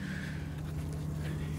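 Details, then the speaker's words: Twin-cylinder tractor engine idling on one cylinder with a low, lumpy putter and audible backfiring; owner suspects a failing coil or wire on the right side, which earlier checked out fine and intermittently lost spark. Cause unconfirmed. "I think I got a coil or a wire or something going bad in it, but it's only running on one cylinder right now."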